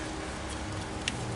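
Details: 2008 Honda Pilot transmission, code P0976 shift solenoid B low input: two faint crisp clicks about half a second apart; solenoid actuating normally.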